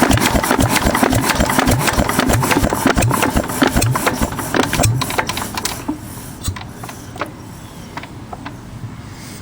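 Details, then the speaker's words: 6 HP Witte diesel-electric engine, revived after 30 years with valve work, oil change, fuel-system cleaning; stopped by pulling the fuel-pump rack, no generator attached; steady thudding beats slow and soften, coasting evenly to a clean stop; normal shutdown. "And I wish I had the generator to go with and to stop it on the rack. That's all you're doing."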